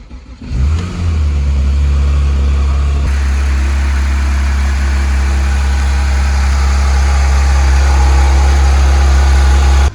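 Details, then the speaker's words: 2016 Porsche 911 GT3 RS from salvage auction: engine catches at once, blips up, then settles into a smooth, deep, even idle. "as i'm sure you guys already know about gt3s it sounds phenomenal"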